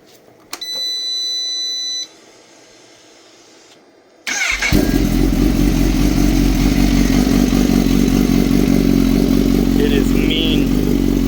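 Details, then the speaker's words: Kawasaki Z H2 with a newly installed Brock's Performance Penta carbon black full exhaust, cold start in the morning: dash chime, then it fires into a loud, deep, steady idle with a crisp, even exhaust pulse. Normal. "The sound is amazing. So I'm gonna let you guys hear it on a cold start this morning, and then we shall end our video."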